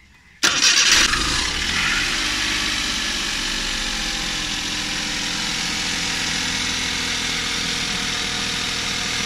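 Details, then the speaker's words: Suzuki Every Wagon DA64W, K6A 660cc, after replacing belt tensioner bearing (NGK 6909 DUM1) and tightening belt; quick crank, catches at once, smooth steady idle, rattle gone; normal start and idle. "So ayan guys, tahimik na. wala na siya yung parang kumakalansing. Ayan, wala nang ingay."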